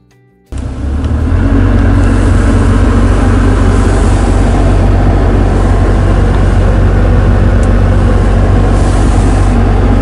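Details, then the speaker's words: BMW F07/F10/F11 cabin blower at high speed: steady heavy droning hum with buzzing vibration from the faulty blower, fixed by blower replacement. "If your car has some noises and vibrations at higher blower speeds, this may be a problem."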